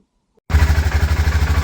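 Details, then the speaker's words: BMW F650GS Dakar single, first cold start after two years off, thumping about eleven beats a second, slightly uneven, then stalling before a throttle reset; unstable cold idle. "Okay, so got it running and it's stalled, so I'm going to do a throttle reset on it now."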